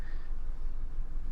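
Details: Maruti Alto K10 AMT petrol engine idling after the cylinder 3 spark plug and ignition coil were fixed (it had misfire, a blinking check engine light, low mileage and weak pickup): a low, steady, even hum with no stumbles or misses, running smoothly.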